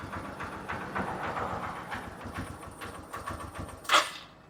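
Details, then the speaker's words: Royal Enfield Himalayan single-cylinder after camshaft and rocker arm work with original parts, timing chain not replaced: starts and idles evenly with no top-end rattle or tapping; normal idle, healthy. "എന്തായാലും വണ്ടി നല്ല silent ആണ് കേട്ടോ നല്ല silent ആണ് വണ്ടി വേറെ യാതൊരുവിധ അലപ്പ് സൗണ്ടുകൾ ഒന്നുമില്ല"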